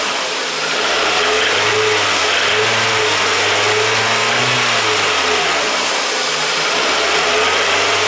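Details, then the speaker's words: Petrol engine with failed connecting rod bearings: runs fine at idle, but with added revs a faint small hammering knock appears, intermittently. "In that area I can add more revs and soon we can hear small hammering sound. It is that."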